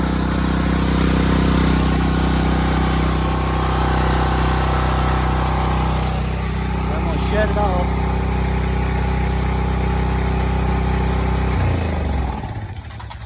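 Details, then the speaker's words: New Sportsman 4000 dual fuel gas/propane generator run with no load to circulate oil, showing 120 volts; steady even drone, no misses or knocks, then shut off and winding down, normal no-load running. "it off there that was loud was it quite a bit no nothing uh I didn't put no load on it but I just let it run to circulate the oil through it"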